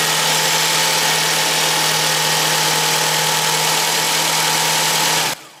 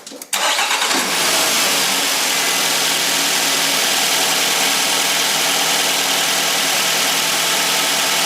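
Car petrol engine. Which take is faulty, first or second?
second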